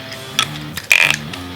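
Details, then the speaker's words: Longboard wheel with bearings fitted without the spacer and the axle nut fully tightened: short dry scraping whir with ticking, then the wheel binds. With the spacer it spins freely. "That sound is where the bearings, so it's still spinning, but when I tighten it to its fullest, there's no spacers, I can't spin it. It's not good."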